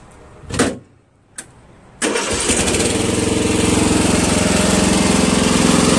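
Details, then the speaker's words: Murray Select 12.5 hp 40-inch lawn tractor restarted after running out of gas and getting some fuel: a couple of clicks, then it cranks and catches at once into a steady, even idle. Normal start and idle. "Like I said, always runs great."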